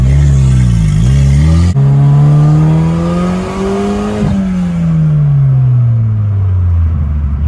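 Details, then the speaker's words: Car on test drive after wrapping leaking turbo hose with Rust-Oleum self-fusing silicone tape, exhaust cutout stuck open: engine note climbs smoothly through pull, drops at shift, climbs again without stumble; boost holding where it used to break up. "honestly i think it's holding boost now usually it was starting to break up like i don't know man i think the rustoleum is doing his job it seems to be holding up baby"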